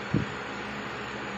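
A faint, even low hum with no rattle or buzzing, just a smooth quiet run; the pump sounds healthy.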